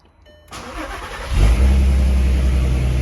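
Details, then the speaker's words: Mk5 VW R32 VR6 after new plugs, original ignition coils and new intake: short crank, quick catch into a deep, steady even idle, exhaust pops gone, clean healthy start. "Ooh, that's buttery. No more pops from the exhaust. Everything sounds good up here."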